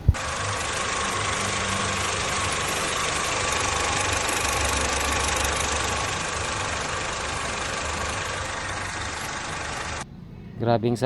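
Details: Honda Civic FD petrol engine idling with a fast, loose tapping from excessive valve clearance; the remedy is valve clearance adjustment only.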